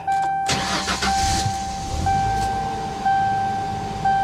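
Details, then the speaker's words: Normal start and idle on a V6 Mercury Cougar XR7 at an auction yard: engine catches quickly after a short crank and settles into an even, steady, clean idle; goes into gear forward and reverse, runs good. "she does run good though. She does run good."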